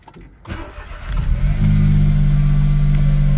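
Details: Smart ForTwo 450 after full engine rebuild, before its first road test: engine cranks briefly, fires cleanly and settles into an even, steady idle with no knocks or misses; normal start and idle.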